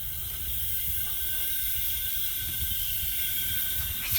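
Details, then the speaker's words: 2007 Freightliner Detroit Series 60 14L diesel, a year after rebuild, engine running; steady high hiss over low rumble, unchanging: newly found compressed-air leak in the truck's air system, needs repair. "I'm still, what the hell? Oh, we're about to find something live right now, a problem."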